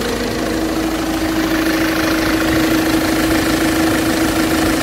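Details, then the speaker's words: Ford Transit engine, injectors checked and fine: steady idle with a fairly regular knock about three times a second from mid-engine; after it stalled it jerked backward, and the owner suspects a disintegrating crankshaft pulley. "Резко заглох, остановился мотор. Звуки какие-то непонятные были. После того, как заглох, через секунду буквально дернулся в обратную сторону. Может, даже шкив коленвала развалился."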